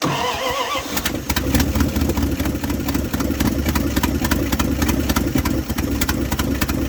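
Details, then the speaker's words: 1978 Dodge D100 Step Side after fuel pump swap, carburetor bowls hand-filled: very low, uneven, stumbling idle close to stalling; owner suspects mixture or stuck floats, unconfirmed. "It's idling very very low. Let's see if it's probably the mixture, too."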